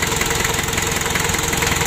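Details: Freshly rebuilt 1987 Daihatsu Taft GT Jeep diesel engine, first start, warming up while checked for oil leaks: even, steady diesel clatter at idle with evenly spaced firing pulses, no misses or knocks; normal healthy idle.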